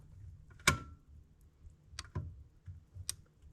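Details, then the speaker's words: Old Alfa Spider headlights after repair, now switched through relays instead of the burned, bent stalk switch; a few crisp, clean relay clicks in a quiet room, normal operation. "it's going through relays now"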